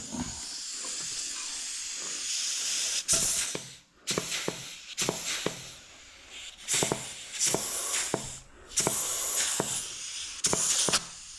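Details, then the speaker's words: Rebuilt 1968 Ford C6 automatic transmission, bench air check of the forward clutch drum with shim fitted: sharp air bursts with a crisp catch each blast and only light hiss between; clutch applies cleanly, no leak. "so now full PR shim goes right there forward drum right there air check"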